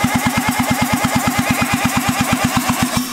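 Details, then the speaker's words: Rebuilt 1975 KC27 294cc rotary from a Hercules W2000 motorcycle, first run on a temporary carburetor gasket: catches and runs briefly with soft even pulses about three per second, lacking punch, then dies. "I just think there's so much stuff in this engine right now from what you built it that it's just having some issues"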